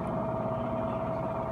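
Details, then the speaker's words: Whirlpool Duet front-loading washer at high-speed (apparently top) spin, door locked, eight minutes left, spin kept not too fast to protect the motor: smooth steady mid-pitch hum, no thumping or grinding; drum spinning fast and healthy. "because i don't want to burn the motor down because of the malfunctions so it spins fast but not but not too fast"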